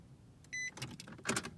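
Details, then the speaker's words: 2016 Nissan Frontier that parked fine, then wouldn't start: dash lights on, dash chime, then one sharp click from the starter and no cranking at all. "I just hear one click coming from the starter. All the lights come on, and it does not crank the car."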